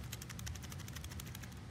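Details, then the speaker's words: Worn C5/C6 Corvette torque tube driveshaft support bearing, removed from a customer's car, shaken by hand: quick loose metallic clicking about eight a second; so worn the driveshaft moved back and forth within the tube while driving, causing oscillation. "can hear it rattling that is because it is completely worn out and we could actually move the entire shaft of the torque tube they drive shaft within the torque tube back and forth was moving that much when the customer was driving their car"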